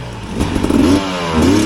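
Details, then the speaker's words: 2025 Husqvarna TE300 two-stroke TBI on stock ECU mapping, chugging up mountain trails at low rpm: surges then flattens, won't rev out cleanly and must be revved to clear; loading up and bogging at low rpm. "this one would load up and I would have to rev it up and clear it out before any obstacles. Like this. Hear how it doesn't want to rev out?"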